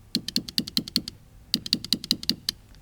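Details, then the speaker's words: 2006 Audi TT Quattro 1.8 turbo that won't start. Power is applied directly to the fuel pump, giving rapid sharp knocking in two bursts, about five per second, with no whirr: the fuel pump is seized. "Or 3, it could make a clunking noise if it's severely locked up, like seized up hard. So, let's push power to it and see what we hear. You guys hear that? It sounds like someone's on the inside knocking to get out."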